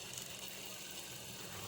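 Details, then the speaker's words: Newly replaced washing machine spin-dryer motor running after rewiring to the capacitor and spin button, spinning very fast. A soft, even whir with light ticking, no knocking or scraping, so the motor works properly. "Nah bisa teman-teman lihat di kamera ya ini putarannya sangat kencang sekali ya Oke jadi dinamonya mantap dinamonya berfungsi dengan baik"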